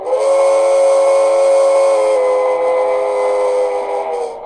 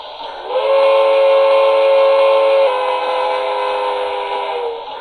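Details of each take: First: Broadway Limited steam locomotive: steady whistle tone with a harsh rattly buzz on every chuff; loose speaker not snug in the tender shell, vibrating against it. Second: Broadway Limited steam locomotive, brand new, after the tender shell was glued and refitted: steady layered whistle tone with chuffing underneath and no buzz or shell rattle from the speaker; the fix worked.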